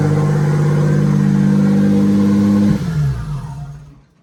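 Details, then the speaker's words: V6 RWD bi-turbo Mini: engine holds a high, steady drone for almost three seconds, then drops suddenly and dies away. It revs high on the very first start, especially after battery disconnect; owner suspects ECU with no memory, possibly air leaks. "It seems to rev quite high the very first time, especially if you disconnect the battery, so I think it's something to do with the ECU."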